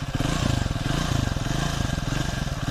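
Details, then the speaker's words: Triumph Speed 400 at idle after shim (tappet) adjustment fixed a ticking engine noise that began around 6,000–6,500 km, tested over 200–250 km: steady even low thumping, no ticking or clatter; normal idle. "अब देखिए पास से तो अब मेरी bike में कोई भी नॉज नहीं है"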